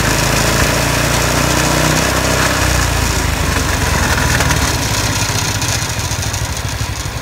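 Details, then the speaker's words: iWinch Winch Skate small single-cylinder engine revved: runs smoothly, but a loose part and the loose hitch rattle and make most of the noise. Loose part rattle. "Runs pretty smooth. There's this thing rattles a little bit. That's why it's most of that noise, and the hitch thing rattling around too, and it's loose, so that's why it's so noisy."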